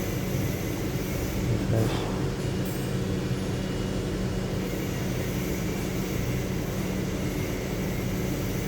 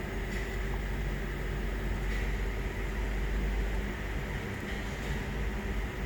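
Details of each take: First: 2007 Lincoln Town Car V8 after replacing faulty cylinder 7 ignition coil: steady even drone over several seconds, no stumbles or skipped beats; no misfire, codes cleared. Normal running after repair. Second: 2007 Lincoln Town Car V8 at idle with codes P0300, P0351, P0352, P0354, P0357: uneven idle with irregular stumble; power balance test traces the misfire to faulty cylinder 7 ignition coil. Misfire at idle.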